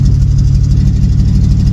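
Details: El Camino V8 bought sight unseen: deep, lumpy idle with an uneven pulsing beat, no knocking; owner suspects vacuum leaks, expected to ease once warmed up, not confirmed.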